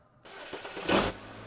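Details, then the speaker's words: Starter test on an Autel BT608 tester after fitting a new battery that tested good (959 against a 650 rating): brief crank that catches at once, then a low steady idle; tester reports cranking normal. "us so there you go it tells us that cranking is normal"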